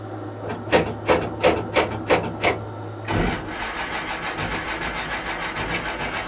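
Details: 1969 Plymouth Barracuda 440 drag car, electric fan and water pump on: about six clicks, then starter cranks at a steady chug without catching; zero fuel pressure, possibly low on fuel or stuck carburetor float suspected.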